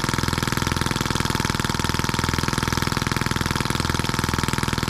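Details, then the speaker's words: New scale model Atkinson-cycle engine (M14/EM1) out of the box, oiled and fueled, no throttle, after a little carburetor adjustment: steady, even putt-putt about two and a half beats per second, no misses; running cleanly. "what a cool little engine I like it it runs well and we didn't have to do anything with it except unbox it"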